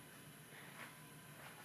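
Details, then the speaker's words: Trane AC air handler after a DIY blower motor replacement; the old motor had been shaking, noisy and then stopped blowing. The new motor runs its diagnostic cycle with a soft, even rush of air and no rubbing, ticking or hum, sounding good. "the diagnostic cycle here it sounds like it sounds good to me"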